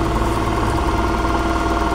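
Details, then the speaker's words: Yamaha NMAX scooter with an ACG starter and a snapped cam chain; cranking gives an even, fast fan-like whir with no firing or compression pulses, and no air comes out of the exhaust. "di bagian knalpot di sini pak tuh tidak mengeluarkan udara ataupun ada hembusan ini bersuarat namun mesin seperti tidak gerak Pak ya tuh"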